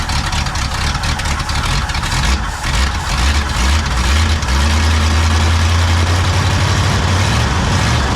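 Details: Pontiac V8 on first start after swapping the Quadrajet for a rebuilt Holley 600 vacuum-secondary carb (new float valve, accelerator pump, spreadbore adapter) runs a rough, loping, hunting idle; high float level flooding the carb with sticking new floats, and retarded timing.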